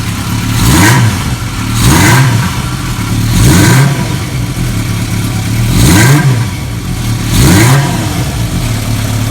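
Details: Restored 1980 Kawasaki KZ650, stored nearly 30 years, with Mac aftermarket exhaust, first start after revival: blips every one to two seconds, crisp deep grunt, clean pickup, no misses; motor sounds good.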